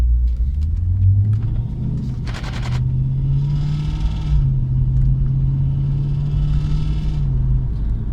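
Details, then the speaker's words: Mercedes W203 C-class sport coupe with Lexus 3UZ-FE V8 swap, driving on newly installed exhaust built without a flex joint: deep steady drone and buzzing under the V8 rumble as the solid exhaust transmits vibration. "literally i forgot to put a flex into the exhaust so the exhaust is still solid and you can still hear the"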